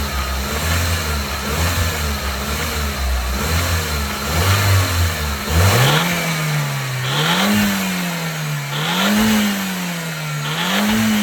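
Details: Audi S3 8L 1.8T: a loose metallic rattle over the engine that follows the revs as they rise and fall; source unknown.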